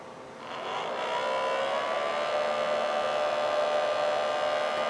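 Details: 3D-printed mini turbine scaled down about 60%, driven by a tiny RC helicopter motor, impeller spinning clockwise: spins up into steady high whir that holds even; runs smoothly without rubbing or rattle.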